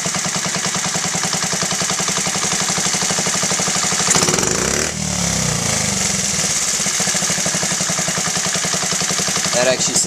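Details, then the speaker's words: Honda Z50A after carburetor clean and rebuild, pilot screw set to 1.75: small single's quick, even idle putter, clean and stable; normal idle. "actually sounds better. 1.75 is where I'm going to leave it for now."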